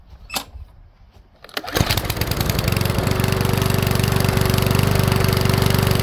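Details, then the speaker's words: Powersmart 170 mower with Briggs-type engine, hard to pull, started only after priming: fast uneven run with sharp pops, misfiring; owner plans to loosen valve clearance slightly, cause unconfirmed. "all right so it doesn't start on its own very good uh prime it and it does obviously you hear that popping sound"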